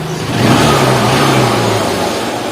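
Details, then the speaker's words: Honda Shine single-cylinder motorcycle after a full engine rebuild, electric start, tuning set: clean blip that rises smoothly and settles back to a steady idle with no knocks or rattles; running normally. "और sound आप ध्यान से सुन सकते हैं। ये perfect तरह से काम हमारा हो चुका है।"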